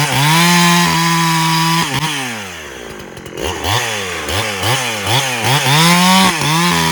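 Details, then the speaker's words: Farmertec Husqvarna 372XP clone chainsaw after a new ported cylinder kit, bucking firewood (possibly ash) with the idle a bit clean: strong high-revving buzz that bogs briefly in the cut, then pulls hard, rising and falling with each stroke; normal operation under load. "this thing just destroys wood"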